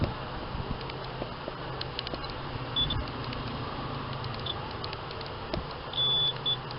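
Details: Multimeter in diode/continuity mode on a T-con board after replacing a shorted capacitor, short high-pitched beeps as probes touch the capacitor's ground side; board reads normal with no short.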